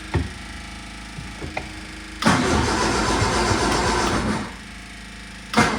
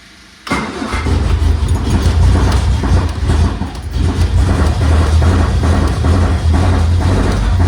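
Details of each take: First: 1978 MG cranking after its four idle mixture screws were reset to base settings. Short starter bursts, but it never catches. The owner suspects fuel isn't reaching the engine, which is unconfirmed. Cranks but won't start. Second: 1978 MG being restored, first restart after fuel supply fixed, carbs suspected off and due for retuning once warm, in neutral: catches quickly, then steady even low rumble with no misses or knocks; normal idle.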